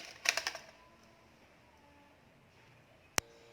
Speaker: make sure that you hear the ticking sound once we heard the ticking sound that means our wire is already we have to make sure that the wires are fully inserted